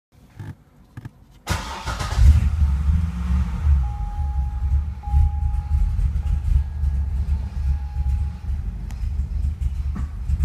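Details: Engine misfires at every startup: catches after a second of cranking, then runs lumpy with a stumbling idle and won't idle or rev. At about one minute the Service Active Handling and Traction lights come on, then it runs normally.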